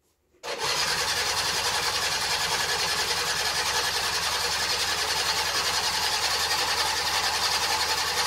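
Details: 2010 Baotian Rocky 49cc two-stroke, first start in 3 months: catches at once and settles into a thin, fast, buzzy idle that holds steady; runs fine.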